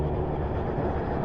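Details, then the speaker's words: Suzuki 1200 Bandit warmed up, fuel tap switched from prime back to on: lumpy, uneven idle with a dull low rumble, still not sounding right; fuel starvation from a faulty fuel tap on the tank. "Nah, they've still got a problem. Let's try it back on to the on position."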